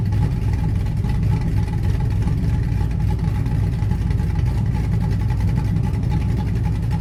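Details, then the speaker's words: Blazer V8 with a Summit Stage II truck cam and Holley Terminator X Max EFI, no transfer case fitted yet: a deep, steady rumble with no stalling or rough patches. Idling smoothly and the AFR looks good. "i haven't had the chance to really take it out and run it because i don't have a transfer case in it right now it's idling smoothly my afr looks good"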